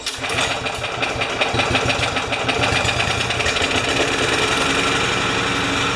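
Small single-cylinder mower engine holds a steady, even speed with no misses or surging; governed speed sounds settled and healthy.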